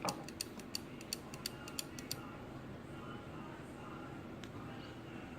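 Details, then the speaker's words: Old wind-up clock: even ticking at about three beats a second for two seconds, then it dies to silence; it stops on its own and restarts with one light tap. Cause unknown. "tap on it it'll go this is actually the longest its way and it stops just one little tap and it goes back"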